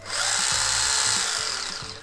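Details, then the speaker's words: PX9302 RC car after hitting a tree: high steady electric motor whine with faint irregular low clicks, one or two a second, from the drivetrain; gears and motor cleaned and greased made it quieter but not gone, no apparent problems caused. "hey uhoh all right so after I hit the tree the car started making this really weird clicking noise it sounds like"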